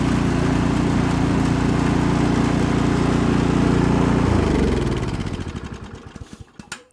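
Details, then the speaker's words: Remington (MTD-made) snowblower, 208cc Powermore single-cylinder, after new spark plug fixed sputtering, backfiring and quitting when warm; after 30 minutes of use, augers engaged load the engine, governor brings speed right back, steady then smooth shutdown; normal running under load. "I'll even show you engaging the uh augers it puts a load you you hear the load on the engine but it comes right back up with the governor so all is well"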